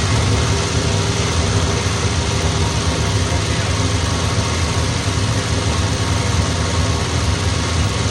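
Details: 1970 MG Midget running on its own for the first time in many years: steady, even running with a dense low rumble and no knocks or misses. It smokes from residual oil. Normal running after long storage.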